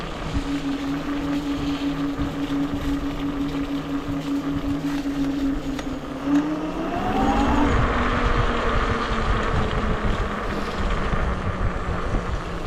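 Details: Wolf King GTR electric scooter on trail: rhythmic chuffing about three per second over the motor note, rising with speed; rear disc rubbing the pads, either bent or wheel misaligned.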